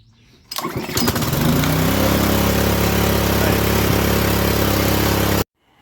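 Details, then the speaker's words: DeWalt DXP3123 pressure washer, Honda GSV170 engine, after carburetor cleaning, fresh fuel, clean air filter and oil change: catches on first or second pull and runs steady and even; normal start and run. "up all right so got it starting on the first or second pull"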